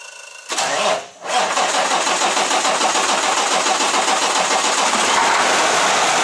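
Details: Kenworth T680 ISX15 Cummins diesel first start after installing injector sleeve rings for a coolant leak and torquing injectors to 59 ft-lb: brief crank, clean catch, steady even idle, no misses or knocks; healthy.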